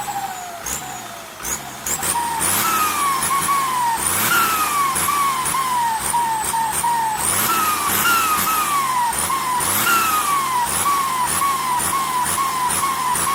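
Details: SK200-3 AR42 turbo: high whistling chirp sweeping downward about twice a second over the engine; hissing, singing turbo whistle.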